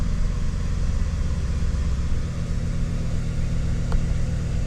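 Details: 2007 Chevrolet Silverado Classic 5.3L V8 after oil pressure sensor replacement, run to check for leaks. Steady, even low rumble with no knocks or ticks: normal idle.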